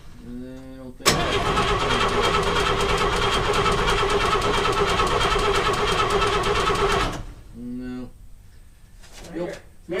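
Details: 1952 Chevrolet Bel Air inline-six, sat for years: steady starter cranking about three beats a second for six seconds, never catches, then stops; mechanical fuel pump moves but isn't pumping, diaphragm suspected rotted, new pump needed.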